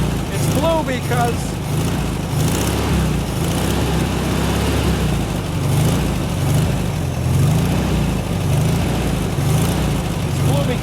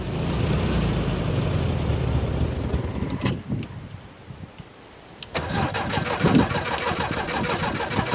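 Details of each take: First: 1972 VW Super Beetle, first run with two-stroke oil in the fuel and fuel poured into the carb: steady, low, even rumble with no misses or knocks; fuel gauge reads empty and no fuel is seen reaching the filter; normal running. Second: 1972 VW Super Beetle, first start attempt, with starting fuel squirted into the carb: slow, labouring cranking, then a short burst of uneven running; tired battery with loose, dirty terminals, and one bad spark plug wire; weak cranking.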